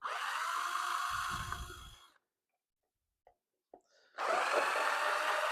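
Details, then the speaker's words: Cordless drill set on low speed with a flat battery pack: labouring, uneven whir that stops and restarts without reaching full speed; drill struggling from low battery. "it's on low speed hopefully it speeds up a bit on on this oh it's struggling I'll get in"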